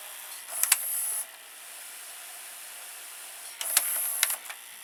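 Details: Toshiba M659 stereo VCR threading a tape after the melted belt was replaced with a salvaged one: two short bursts of light motor whir with small clicks; mechanism runs smoothly.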